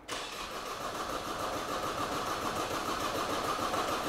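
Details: 2008 Opel/Vauxhall Astra H 1.7 diesel (Z17DTH), replaced engine, no fault codes, rail pressure being monitored: even starter churning at about three and a half beats a second that never catches; cranks but won't start.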